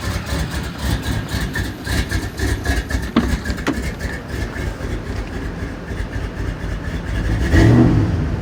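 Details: A 5.3 V8 Suburban idles with intermittent stumbling, surging and irregular low thumps, then a rev. New intake gaskets, knock sensors, throttle body, intake and MAF didn't find it; the owner suspects dirty injectors or fuel, possibly the fuel pump.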